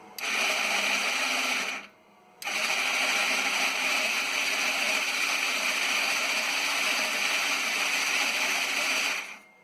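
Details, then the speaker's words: Yerf Dog CUV Rover starting with charger on a 2018 battery: high thin whirring and grinding from the starter with no steady engine beat, struggling to turn over; starting clutch slipping. "So you can hear the starter making a lot of noise. I finally got the thing spinning. And there it goes. So, sometimes that can take 5 minutes to start."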